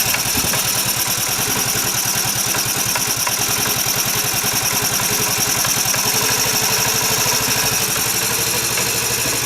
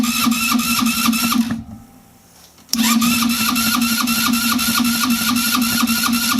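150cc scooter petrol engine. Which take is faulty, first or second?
second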